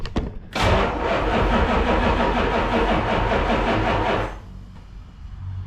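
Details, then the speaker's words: Road Runner 440 V8 after sitting for years: catches and runs a few seconds with uneven, lumpy beat before dying; owner suspects a crossed plug wire; rough running. "That's a little bit more promising. It's almost act like I got a plug wire crossed."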